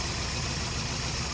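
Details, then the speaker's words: Rough, uneven idle with a lumpy, shaky rumble on a used junkyard engine just swapped into a Scion xB; spark plug already changed, owner suspects a misfire on one cylinder, disconnecting cylinders one at a time to find it. "Okay. It is running rough. I've changed the spark plug. So, I'm thinking it's missing on a cylinder."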